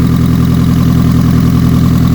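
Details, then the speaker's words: ABT Audi TT first run in years after a new cambelt, on old fuel, in neutral: loud, steady idle with blunt puffing at firing rate, engine running smoothly. Exhaust leaks mainly at the front downpipe's broken flexi pipe. "well very very slightly but mostly it's coming out the front where that where that down pipe that flexi pipe's got to break it"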